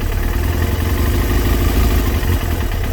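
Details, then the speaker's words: Kawasaki ZX6R J2 four-cylinder after carb rebuild with new main jets and needle clip change, sync screws possibly over-turned: low lumpy wandering idle; carbs 1-2 and 3-4 well out of balance. "So right, start her up. That is well out. Maybe I twisted it a little bit too much."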